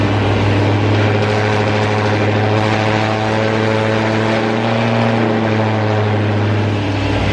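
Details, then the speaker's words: Supercharged V8 (hellcat-charger tags) first start after reinstalling supercharger rebuilt with new bearings, plus intake, fuel rails, injectors, catch can and belt; loud steady deep idle with even blower hum, no knock, rattle or bearing growl. "So shoot, we're gonna go ahead and crank it up and hope it don't blow up."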